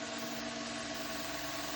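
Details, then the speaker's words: Drukov spindle on a surface grinder, driven by a spliced urethane belt from a VFD-controlled drive motor at 1800 rpm, spindle about 3600 rpm. Even, steady hum with clean tones and light hiss, no knocking or grinding; quiet, normal spindle. "The drive motor is running at 1800 RPMs, and the spindle here is running at for about 3600 RPMs, and you can hear that it's nice and quiet."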